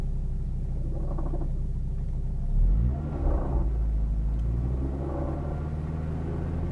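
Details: Saab 9-3 2000MY, engine warm, low rumble with droning grumble that comes and goes unrelated to revs, from engine compartment; worn AC compressor clutch bearing, fixed by replacing compressor and re-gassing.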